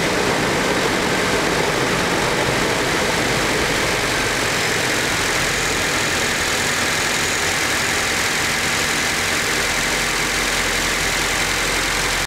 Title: Nissan S14A SR20DET cold start (Chain tensioner noise)